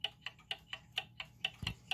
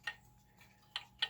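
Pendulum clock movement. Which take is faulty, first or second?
second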